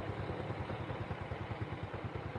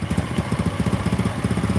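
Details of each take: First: Small motorcycle engine idles with a soft, even low putter, no knocking or rattle; new piston fitted, almost silent and smooth, after steering head bearing replacement. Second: Motorcycle at low idle with loud, fast metallic knock (keteng) on every firing stroke; loose piston slapping cylinder, white smoke at first start; bike also felt unstable from steering head (komstir) issue.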